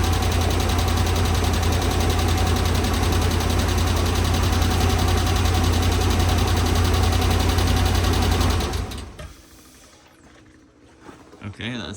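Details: 2013 RAM 1500 5.7 HEMI V8 idling with a light, steady tick about three a second, louder on the passenger side, after a previous cam and lifter repair; improperly installed pushrods and rocker shafts damaged the pushrods.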